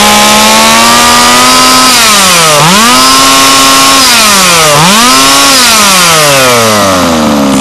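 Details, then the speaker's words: HPI Racing Baja 5B two-stroke, new, after leaning high-end carb needle about 1/16 turn: high buzzy engine climbs and drops cleanly through quick blips, no stumble; normal revving. "Sounds about as heavy as she's going to get. Let's see how it performs."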